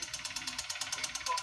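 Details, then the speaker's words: 2015 Kia Soul 1.6L Gamma GDI 4-cylinder, 124,000 miles, check engine light on: sharp, loud tapping at about nine knocks a second over idle from the lower bottom end; rod bearing and piston failure. "And see can you hear that? Speaking of drums it's tapping. You see that? Tapping his ass off. Yeah, that's what we got going on. It's running and it's tapping."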